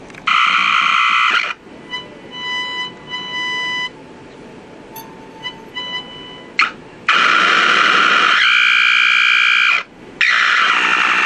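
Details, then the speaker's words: Packard Bell 35 AM tube radio: harsh hiss bursts alternating with steady high whistles and pulsing buzzes, no station. Injected IF signal gets nothing through; coils and tubes check good. Squealing oscillation, cause not found. "this radio is a trip this radio is just it's weird it sounds like there's some activity"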